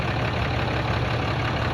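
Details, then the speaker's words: 2010 Dodge Ram 3500, about 100,000 miles, after tightening fitting to fix hissing under dash (power steering suspected): steady low idle rumble, no hiss; problem solved, normal idle. "Problem is solved for my 2010 Dodge Ram 3500. See that? It's gone."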